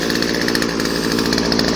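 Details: Older Craftsman 16-inch 30cc chainsaw, cold start on first pull with chain brake on: fast, even two-stroke buzz at a steady pitch, no stumbles or misses; idling cleanly.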